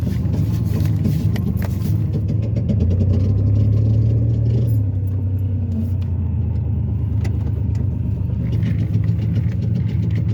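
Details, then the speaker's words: Ford Taurus back from a repair shop, owner says it now sounds like a diesel: deep, uneven idle rumble with rough diesel-like chuffing and no clean tone on top; shop says exhaust leak. "like a diesel that shot got my car sounded like got my Torah sounding like a diesel"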